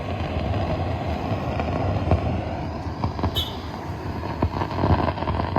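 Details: Impex Bluetooth home theater with a humming and crackling complaint: steady low mains hum with irregular crackles and pops, traced to a faulty signal connection at the amplifier IC's input.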